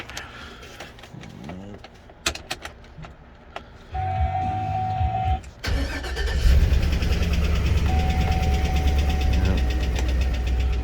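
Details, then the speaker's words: 2006 GMC Sierra 2500HD with crank sensor code, barely running: after cranking it settles into a rough idle, nearly stalling, with a steady knock about three or four per second; source unknown. "got a code for a crank sensor so she barely runs now you can hear the knock"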